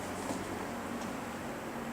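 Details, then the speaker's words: GE W 25 box fan after repair of worn single bearing that let rotor hit stator, enough clearance removed: even steady whoosh and low hum, scratching gone, no scraping or ticking; runs smoothly. "the scratching went away that sounds great"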